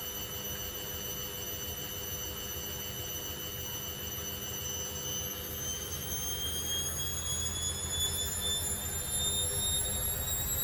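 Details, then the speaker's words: Candy Grand O Vita GV139D3 street-find washing machine (9 kg) on the 14-minute rapid test wash: steady hum with a clean motor whine rising smoothly as the drum enters final spin, no knocking or wobble; normal spin ramp-up. "That sounds like its final spin now. It's getting there."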